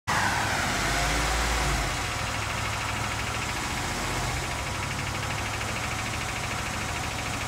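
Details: 2020 RAM 2500 6.4L Hemi V8, ticking since about 7K miles, with the dealer saying "normal" and lifters later replaced but the noise returning. A fast, light tick about three per second rides over a steady idle; a valvetrain tick, cause not pinned down.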